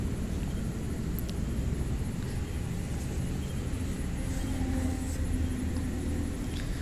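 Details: Hyundai Santro petrol with high-idle complaint, after IAC valve work and refitting: low, even rumble holding steady with no surging or hunting; normal idle, high rpm fixed.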